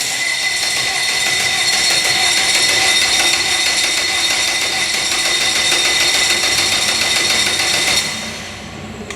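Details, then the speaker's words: Flats boat engine after priming: the starter spins it over at a steady quick pace for about eight seconds but it never catches, with lots of smoke from the throttle body area. Cause unknown; the owner plans to pull the head. "like she wants to start a lot of smoke coming out of the right here it's where throttle body is hmm she doesn't want to start"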